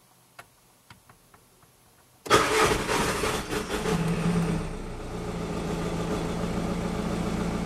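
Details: 2006 Audi A3 Sportback, 140 hp, starting after a timing belt replacement: a few light clicks, then it cranks, catches at once and settles into a steady, even idle without misses or rattles.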